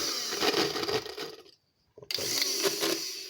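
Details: Hair dryer (Fórmula 6000 Turbo) with rough uneven rattling whir, cutting out briefly then restarting; fan found loose from a ball of hair and dirt under it, fixed by cleaning and reassembly.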